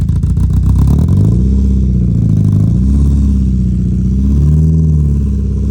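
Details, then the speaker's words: Mazda MX5 petrol engine idling unevenly with a wavering, lumpy drone pointing to an intermittent misfire; owner suspects spark plugs, HT leads, intake manifold gasket or injectors. "so the sound it's making it could be a whole number of things first of all it could just be the spark plugs it could be the HT leads it could actually be the intake manifold gasket or it is the injectors"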